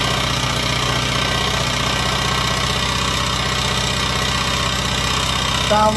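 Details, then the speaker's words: Honda XR80 single-cylinder after used cam and head parts and a replacement gasket, running before fine-tuning the valve adjustment: light, quick tapping/slapping over the exhaust beat at idle; loose valve clearance, needs adjusting. "we can fine tune this adjustment now get that little slapping noise out of there"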